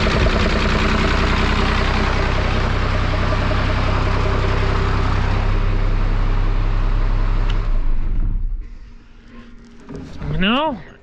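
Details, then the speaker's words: 5.9 Cummins diesel swapped from P pump to VE pump after sitting 15 years, deep even clatter and steady low rumble for eight seconds before shutdown; has oil pressure, starter drags, healthy run. "But it runs. That's very good news. Yeah, I'm liking that it runs."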